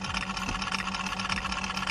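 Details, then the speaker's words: 2007 LBZ Duramax diesel at idle with a fast, light, evenly spaced tick over the diesel clatter. It is suspected to be an injector tick that seems to come from cylinder 8 and the opposite bank, though the injector balance rates look good. "you can hear that rejector kicking noise right there it sounds like it's coming from cylinder 8 I got one on this side too"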